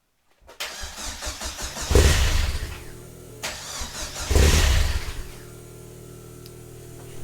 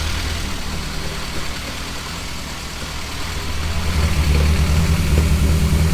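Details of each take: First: Vauxhall Nova on first start with new stainless exhaust, no boost solenoid: cranks, catches briefly on two throttle blips and dies back, then rough low idle; needs throttle to start, cold enrichment missing, faulty temperature sensor blamed. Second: Nova with a newly finished 3-inch exhaust, idling at about 1000 rpm and running rich (AFR 10.0) with a noisy head; a deep, even throb with no puffing or ticking, no exhaust leaks: normal idle.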